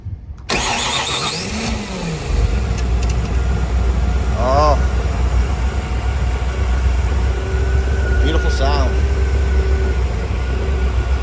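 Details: 1986 Ski Nautique's 351 Windsor marine V8, first start at the marina after new fuel pump, ignition and many new parts, catches after a brief crank and settles into a steady, deep, even, lumpy idle.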